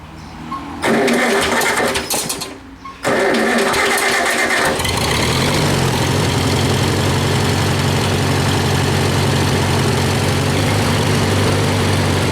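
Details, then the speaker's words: Farmall A tractor after work, still smoking: catches after cranking, steady chug stumbling intermittently; one cylinder compression about 65 versus 90-100 spec, suspected of skipping. Intermittent misfire. "I think that that cylinder that's probably 65 is skipping a beat. Uh at times you can hear it kind of come in and come out, but uh it is what it is, right?"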